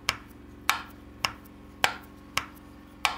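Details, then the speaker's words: Porsche 996 engine torn down with cylinder head off: six sharp metallic knocks, slightly under two a second, as piston slap in cylinders 5 and 6 scores the cylinder walls. "Both cylinder 5 and cylinder 6 have piston slap, and that has eaten away the wall of the cylinders 5 and 6."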